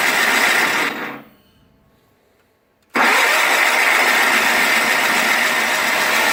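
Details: 1985 John Deere 318 garden tractor, cold start after three months in storage with gas poured in the carb and choked: after brief silence it catches abruptly and settles into a steady, even run. A healthy start.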